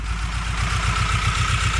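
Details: Mitsubishi Galant 6 (E32A) with 4G37 engine at idle: uneven, lumpy idle with an irregular pulse and a faint whine. Rough idle/misfire, cause unknown; overhaul questioned.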